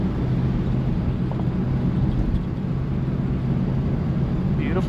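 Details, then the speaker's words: 1955 Chevy Bel Air "Lucy" V8 on back roads after a new fuel pump cured a no-run problem (old pump suspected bad diaphragm or ethanol): smooth, even low rumble while cruising, no misses or stumbles over the road noise. Running properly. "And now that she's got fuel, well, she's running like a top and she's just enjoying these back roads. This is awesome."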